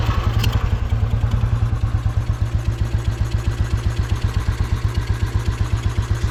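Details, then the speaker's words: Royal Enfield 350 Bullet, iron barrel, composite head gasket failed: started cold on choke, fast heavy thumping single with a puffing, blowing chuff on each beat; almost no compression, blown head gasket, also leaking oil. "it's got hardly it's got no [Music] compression you can hear it blowing right still running still running"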